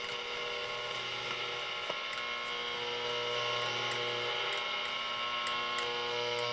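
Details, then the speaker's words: Hallicrafters S118 receiver after straightening a touching plate in the oscillator tuning capacitor that was killing the oscillator: steady hiss with clear, stable tones, no crackle or dropouts; normal reception restored. "Yep, that's way better."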